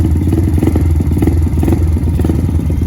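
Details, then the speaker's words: Pit Pro pit bike, 90cc GPX engine, newly fitted Amazon carburetor, air-fuel screw 1.5 turns out, cold start on choke after a couple kicks: quick even putter, idle a little high but smooth, no misses; normal cold idle on choke. "All right, not so bad. Maybe a little high idle, we'll let it warm up."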